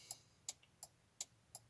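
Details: Audi A4 B5 early prefacelift turn signal relay and hazard switch, working again after cleaning fouled contacts; crisp, even ticks about every third of a second, steady with no stutter, flasher relay clicking normally.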